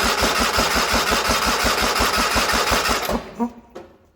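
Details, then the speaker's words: 1980 John Deere 317 lawn tractor, not run in about three years, choked with ether in spark plug hole: steady cranking nearly three beats a second for about three seconds, no firing; cranks but won't start, spark plug dry, new plugs planned. "nothing still what the heck the sparkle later was is dry I just don't understand nothing"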